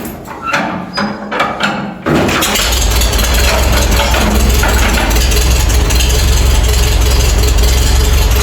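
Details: Farmall A tractor started after sitting over 10 years, after new radiator, fan, belts and hoses, under half throttle with a little choke; a few cranking clunks, then catches at once and settles into steady, even low idle; normal start.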